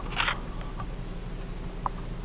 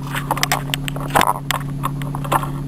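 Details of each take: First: Nissan Teana J31 with VQ23 engine after replacing the intake hose (plastic inside, rubber outside): low steady idle hum with no more tuk-tuk ticking, only stray handling clicks; the noise is gone. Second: Nissan Teana J31 with VQ23 engine running at idle; light irregular tuk-tuk ticking over the idle hum, heard best from the passenger side and not locked to engine rhythm; a hardened hose tapping, not the valvetrain. The fix involves the air intake hose.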